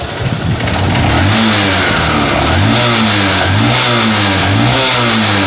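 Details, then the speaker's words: Honda CB Shine single-cylinder bike after repair: started with key, clean even revving rising and falling with throttle, no knock or rattle; sounds like a factory-fresh Shine, normal engine revving. "Start है और यहां का sound आप सुन सकते हैं एकदम sign का जो साउंड होता है कंपनी रिकॉर्डिंग दोस्तों वह साउंड इसमें ए गया है"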